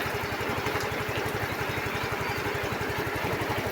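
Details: Yamaha Mio i15 scooter brought in for a no-start with a blown fuse; lights, horn and starter working. Quick, even putter of about ten beats a second at a steady level; idling normally.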